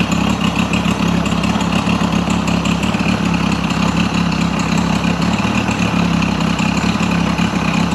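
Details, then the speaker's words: Mercury 50 hp outboard after rebuild and timing set: steady low idle, even firing beat, no misses or stumbles; ticks over cleanly, idling about 7800 RPM on the timing light divided by two. "The motor sounds much better now that the timing is supposed to be where it's at."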